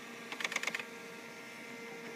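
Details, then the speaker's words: Bernina 200/730 embroidery module Y-axis test: the hoop moves forward and back smoothly over a faint motor hum, with a run of light clicks from the hoop-size switch riding on the hoop's plastic teeth; normal. "we're going to go to the y-axis which is the forward and backward movement of the hoop itself should sound nice and smooth you hear the clicking of the switch"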